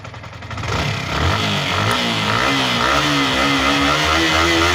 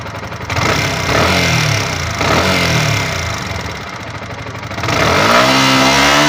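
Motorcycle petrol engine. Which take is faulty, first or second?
second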